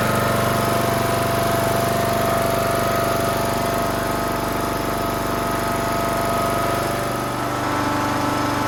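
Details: Toro Z420 TimeCutter zero-turn mower with swapped motor after fitting a conversion carburetor: small single-cylinder engine catches and settles into a steady, even idle with a faint whine on top; runs healthy.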